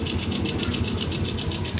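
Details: Suzuki Raider J 110 carbureted motorcycle after valve clearance check and carb idle tuning: even single-cylinder putter at about seven or eight beats a second with no misses; idle steady, though it is noted to be smoking.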